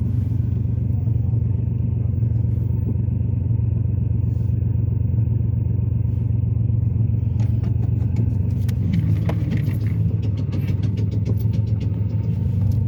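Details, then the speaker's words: Ford Taurus back from a shop with a new suspected exhaust leak the owner says wasn't there before: loud, deep, diesel-like droning rumble at steady running, with power dramatically decreased; the mechanic is about to inspect, cause unconfirmed. "yeah that other shot they did something to my exhaust so now my mechanic over here he's gonna try to check it out and see exactly what's going on with the exhaust"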